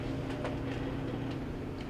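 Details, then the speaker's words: Whirlpool WGD5500SQ0 gas dryer after replacing the gas valve coil kit for slow heating/shutting off: low steady drum rumble with a faint hum and light clicks; starts and runs normally. "now we're going to run an operational check of the dryer start it up we heard our our first click"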